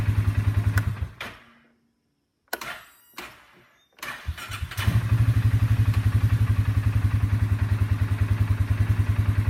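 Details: Engine cranking chugs briefly, cuts out to silence, then stutters twice more before cranking steadily again, showing a bad section (dead spot) in the starter.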